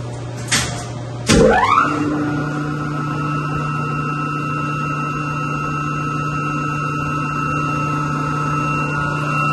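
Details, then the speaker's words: Single chilled-water pump serving two York YMC2 chillers, after a new Duraflex 30 coupling was fitted to fix wall-shaking vibration. It starts with a clunk, ramps up quickly and settles into a steady, smooth hum, running normally. "well definitely sounds good over here vibrato and run for a minute and then I'll fire these chillers back up well so far so good"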